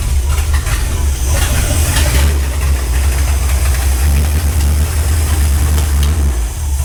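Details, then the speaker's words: Ford Galaxie 500 V8 on first start after restoration: heavy low rumble with uneven beat and sharp pops, rough running and backfiring; suspected excess fuel, floats possibly too high or carburetor leaking, not confirmed. "I don't know exactly it's it sounded like it had fuel excess fuel"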